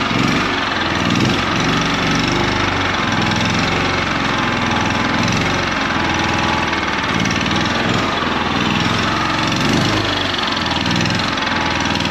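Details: 2019 Champion 100812 generator, used once then sat about four years, being revived; after choke off it idles with a slow, lumpy pulse that never evens out, sitting too low and rough; unclear whether it should idle up under load.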